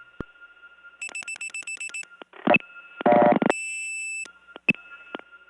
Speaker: yes that was the situation and did you notice the dialling that we were starting to hear over the top of the reorder that last time